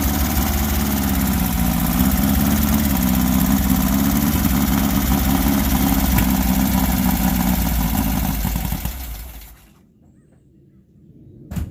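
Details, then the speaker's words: Volkswagen Baja Bug air-cooled engine, cold and never yet up to temperature: uneven, lumpy running with wavering beat, then fades and stalls around nine seconds. Owner suspects stumbling and dying is because it's very cold-blooded, easing once warm. "i honestly think that uh the stammering and dying issue is just based on the fact that it's extremely cold-blooded because when it warms up it kind of stops doing that"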